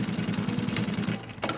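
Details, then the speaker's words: Juki LU1510N-7 industrial sewing machine tested with the customer's thread and material: fast steady needle stitching, then it stops and a couple of sharp clicks as reverse feed engages for the back tack; normal reverse feed engagement click. "That's the reverse getting engaged."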